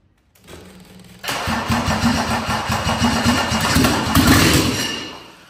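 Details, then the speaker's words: Mercedes 190D OM606 diesel project engine, first start out of the car with makeshift fuel bottle and wiring, no coolant connected; brief crank, then loud uneven clatter lurching in strength: rough first running, owner hopes it settles. "Kako radi, prosudite sami, ali ne može raditi sigurno perfektno. Zato što, više struki su razlozi."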